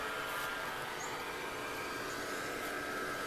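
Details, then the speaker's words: Yellow pump sending water into the settling jars, about a 10-minute run: constant quiet whir with steady mid-pitched tones, no surging or rattle; normal pump run. "Donc là, on entend la pompe jaune qui fonctionne, hein, qui envoie l'eau dans des jarres là."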